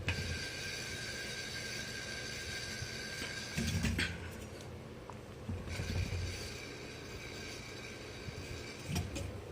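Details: Ceiling fan (Hampton Bay Huntington III) with bad bearings: steady low rumble with uneven thumps and a thin high whine from worn motor bearings.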